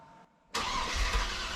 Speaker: So, this is me just cranking the engine over a couple of times just to make sure that everything turns over, there's no nasty clunks before we go to start it. Okay, so everything's fine on cranking over. No untoward noises.